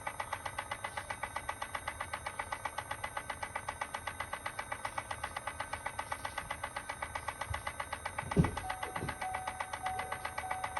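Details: 2018 Chevrolet Volt: light regular clicking, about four per second, steady over quiet background; owner suspects the transmission; clicking noise.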